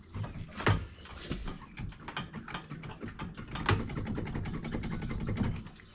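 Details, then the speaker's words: 2017 Polaris RZR Highlifter, front end jacked up: rough clicking, knocking and rumble as the wheel is turned, a badly worn front wheel bearing failing about 20 miles into a trail ride. "So, got a wheel bearing out, going out. It's really bad."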